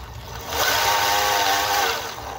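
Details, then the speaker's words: Singer 431G internal motor converted to low voltage, after correcting reversed spin direction: smooth whir swelling and easing with no clicking, much quieter; gear-mesh hum remains. "and you'll notice it's a lot quieter that makes more sense couldn't understand why it was so noisy"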